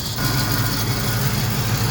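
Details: Vehicle at steady idle, after a transmission speed sensor fix and a power steering fluid leak: a faint, uneven low rattle buzzes over the engine note. Owner suspects something loose, possibly exhaust-related; cause not confirmed.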